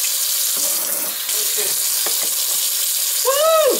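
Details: Kitchen faucet that had vibrated noisily, after the faulty sprayer was replaced: steady hissing flow with no buzzing or shudder; faucet now runs smoothly and quietly.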